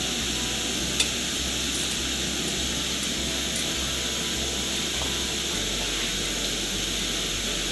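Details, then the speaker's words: Coleman gas stove on high, all blue flame: smooth, steady airy hiss with no sputtering, much quieter than the Taruor; normal clean burner hiss. "I think that's as good a burn as it's gonna get nothing but blue flame that's on high you can hear it's a much quieter than the terror"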